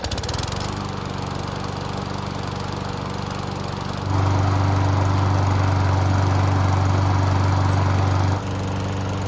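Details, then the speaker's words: A nearly new Toro mower that had not started for its previous owners, run after reassembly. It fires right up, settles to a steady drone, picks up speed cleanly and drops back smoothly, starting and running normally. "And as you just saw, this mower starts up and runs very well and does everything that it's supposed to do."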